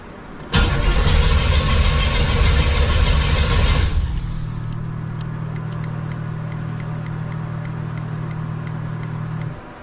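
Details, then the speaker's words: 1987 Monte Carlo SS with 383 stroker V8 during EFI conversion: about three seconds of heavy starter cranking with no firing, then low hum and faint ticking; cranks but won't start, ECU shows 0 RPM despite new tach wire. "It's still showing 0 RPM. I put a new tap wire in. It's cranking."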